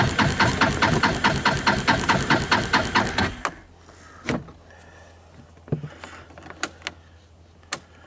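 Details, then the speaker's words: 2014 Linhai Big Horn 400 UTV single, dead after first outing, carburetor found clean, with starting fluid, cold at dusk: cranks evenly about three seconds with steady compression pulses, never fires; crank no start, owner suspects spark jumping over the side. "I gave it a who to starting fluid it didn't even try to start you can hear it sounds like it's got compression I'm thinking the spark jumped over the side"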